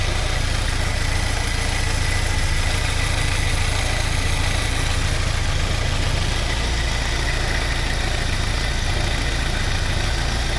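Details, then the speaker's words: 1979 Porsche 924 warm idle after 10 minutes, fan running: steady low drone with faint rapid rattle about three beats a second near front accessories; owner unsure if alternator (new 3D-printed bushings) or surroundings, suspects shaking water pump pulley or belt. "don't know if that's the alternator, or is that everything else around it. A little bit of a shake. Water pump. Pulley's got a bit of a shake, maybe that's causing it."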